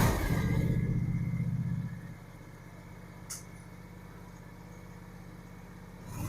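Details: John Deere X590 mower with the deck off, after replacing the tensioner idler pulley that had been rattling underneath; it fires and revs briefly, then settles to a quiet, even idle with no squeal or rattle; it runs normally.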